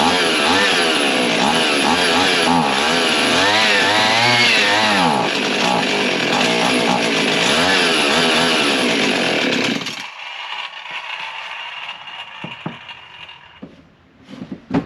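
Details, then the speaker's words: Husqvarna 55 chainsaw after carb kit, fuel tank cap cracked open because tank not venting; high-pitched two-stroke surges and sags in waves, then cuts out; way out of tune, tank vent issue; unsteady running. "what I discovered I cracked the cap a little bit and it's way out of tune"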